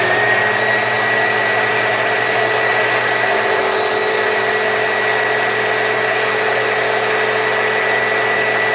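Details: Vacuum, motor whine steady and even with a constant high tone and no slipping or slapping after checking the brush roll belt, which had been slipping off; belt now driving properly.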